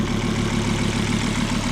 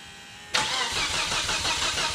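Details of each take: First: sounds good now that's weird i'm gonna have to take it for a drive and then see how it sounds because it sounds good now Second: Volvo S60R first start after engine rebuild with cylinder liner shims: fast, uneven puffing tick at idle like an exhaust leak, possibly a misfire; owner to recheck connections. Cause not confirmed.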